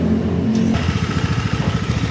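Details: Yamaha Mio Sporty scooter that died at low rpm and stumbled on throttle with hard starting, weak spark; pulser swap didn't help, after replacing the CDI it revs crisply with even firing, no stumble or bog: normal revving.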